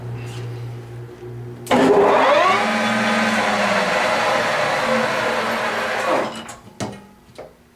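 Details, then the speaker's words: Millport SJ-1740G lathe with two-speed motor on high, stepped up through spindle speeds; high even whir with rising tone, no ticks or knocks; headstock gearing sounds healthy at every speed. "As you can hear, it sounds beautiful in every speed on there. There's not a tick in there or nothing. So it's a very nice running machine."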